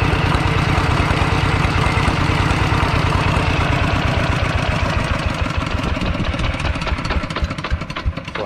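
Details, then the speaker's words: Used Kubota ET95 single-cylinder diesel tractor engine, described as somewhat hard to start and now running soft: steady, even chugging at idle with a regular beat, no knocks or misses; normal healthy idle. "ตอนนี้ก็ดังนิ่มนะครับ"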